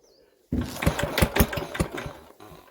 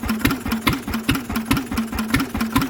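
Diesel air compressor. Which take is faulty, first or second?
first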